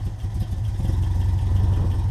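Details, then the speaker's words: 1988 Toyota Pickup 4x4 with the 22R, running after an oil pan gasket replacement, with a worn-out carburetor. A low, lumpy idle that rises and sags: rough surging idle, suspected vacuum leak. "like I said that's it's probably a vacuum leak somewhere you can hear it surging"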